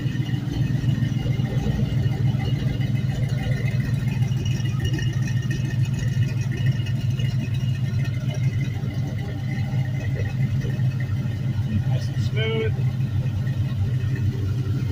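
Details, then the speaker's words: 5.3L LM7 Gen 3 V8, 2004 Suburban, 140k miles, idling on a test stand; smooth deep steady rumble, quiet lifters with no tick, no smoke or belt squeal, cold oil pressure 38 psi. "lifters are super nice and quiet I love how quiet this one is no smoke"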